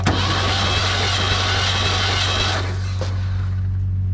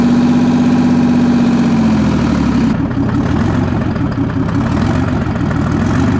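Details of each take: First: Clark forklift, sat several years, plugs removed for compression test: steady starter cranking drone with a slightly uneven beat, no firing; readings 110, 50, 50, 60, 110 psi, low compression; owner suspects valve lash needs adjustment. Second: Clark forklift's diesel (a two-stroke) running after sitting for years, with 30 psi oil pressure on a gauge; steady, even idle with a gruff, fast two-stroke beat and no knocks or misses, running healthy.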